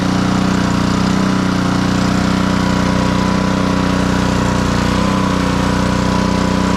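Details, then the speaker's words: Black Max pressure washer with Honda GCV160 engine after repair of a crank-no-start and throttle adjustment, running with hose connected: steady even single-cylinder buzz at constant speed, no surging or hunting; fully operational. "as you can see the pressure washer is fully operational hopefully we'll have a happy client"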